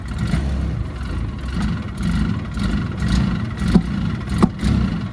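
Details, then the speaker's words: 2007 Polaris Ranger 700 6x6, about 1,500 hours and 11,470 miles, warm, idling about 1,400 rpm: bogs and nearly dies on throttle with backfire-like pops through the intake; check engine light on, cause not yet found. "I can hear a little bit of maybe backf kind of a noise through the intake but uh basically got no throttle here"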